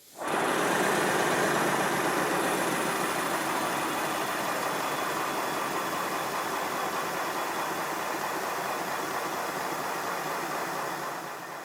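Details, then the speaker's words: Model Simplex steam locomotive with new blast nozzle adding back pressure: steady rushing exhaust beats near four per second, and as the engine slows a thin squeak or whistle rides over it, absent without the nozzle; cause unresolved. "But once again, when the engine slows down, it starts to squeak or whistle. This is a real puzzle. It doesn't whistle without the blast nozzle, but it whistles"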